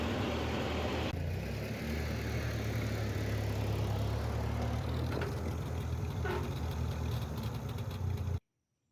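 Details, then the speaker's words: 1950 Ford 8N tractor with the carburetor still untuned: runs fine at half choke, but with the choke fully off it idles rough and uneven, lopes, then cuts out abruptly, apparently fuel-starved; the cause is unconfirmed. "so it runs and drives just fine if i've got a half choked but when i let the choke all the way out it just kind of burns up one gulp at a time and then runs out"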